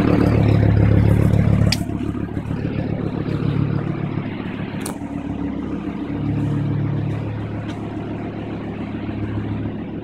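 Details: Volvo V70 T5: loud, deep blatting rumble swelling with each rev from an exhaust leak that first appeared about a year ago, was welded up, and has now opened up again badly.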